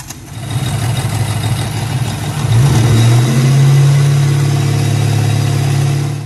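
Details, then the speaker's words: Ford Mustang engine with the timing chain tensioner punched through the tensioner arm and rubbing on the chain: steady hum rising with revs over a faint rubbing rattle; timing chain tensioner noise, fixed by redoing the timing chains. "this one happened to be the timing chain tensioner had actually punched all the way through the tensioner arm as you can see there's a big gaping hole there and it was rubbing on the Chain"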